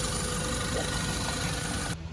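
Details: 2016 Land Rover Discovery 2.0 after water pump replacement, idling about 20 minutes with no leaks found: smooth even idle with steady low hum, no knocks or squeals; engine running normally.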